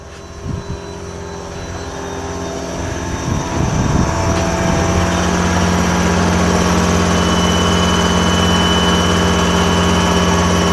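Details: Air compressor refilling two roughly 150-litre bottles (300 L) replacing original 100 L tank, second compressor added to prime faster: even rapid thumping about four beats a second under a steady drone, both compressors running normally.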